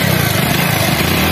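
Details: HF Deluxe single-cylinder bike that would not start, running after the spark plug was tightened; steady, even putter with a firm low beat and no misses or knocks, firing and running cleanly now.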